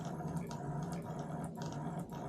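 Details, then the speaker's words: Known-good Simagic P-HPR Neo pedal haptic (I64, the control) retested on the brake and clutch ports of a replacement P2000 control box: quiet, steady low buzz with a few handling clicks; sounds and feels good, normal vibration. "sounds good feels good on the brake pedal sounds good feels good and the clutch sounds good feels good"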